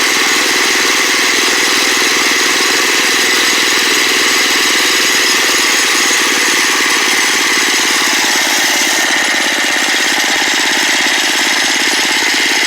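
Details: Small single-cylinder engine after carburetor adjustment, idle turned down and idle mixture screw being set: steady, even idle with a constant buzzy exhaust note, no hunting or surging; normal idle.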